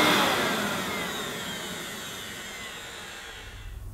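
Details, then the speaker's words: Hoover S2095 Quick Broom II mains-powered bagless stick vacuum, brand new, after picking up rolled oats. High, smooth motor whine winding steadily down with no rattle or grinding. Picked all the oats up: normal running. "it's picked all those rolled oats up, so it's not done a bad job. It'll be all right for quick cleanups."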